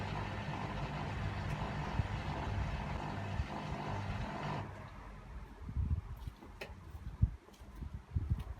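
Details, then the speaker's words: Hotpoint WMA50 washing machine on fast wash with heavy chains, near final spin: low steady drain pump hum for about four and a half seconds, then cuts out; normal drain pump operation. "Water's coming in. So you can hear it's still pumping."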